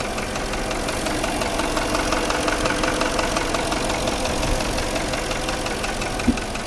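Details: Porsche Cayenne engine at idle: a dull, irregular knock one to two times a second, caused by damaged cylinder walls, typically cylinders five and six. Deeper diagnosis with an endoscope is recommended.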